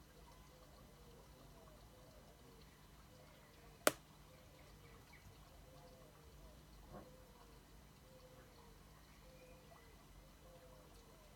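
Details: 2016 MacBook while warming up: one sharp pop a few seconds in, then a faint tick, over a quiet room; chassis popping, cause unclear; popping noise while warming up.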